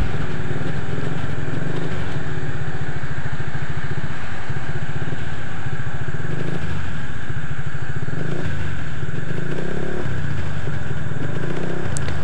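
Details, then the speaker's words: Honda Vario 125 scooter idling steadily and evenly after repair of a no-start (fuel pump not humming, no ignition spark); MIL no longer blinking, engine now runs cleanly with traffic passing behind. "Oke ini untuk motornya ini sudah bisa hidup"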